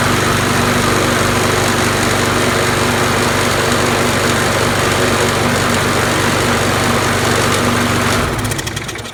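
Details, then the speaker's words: Troy-Bilt Tough Cut 210 self-propelled mower, Briggs & Stratton 6.75, long unused, run in garage: loud, uneven chugging with a shaking rattle before cutting out; owner suspects the vibration is an unbalanced blade, not confirmed. "yeah here you go the vibrating probably is the blade um and it this thing smells like it hasn't run in ages"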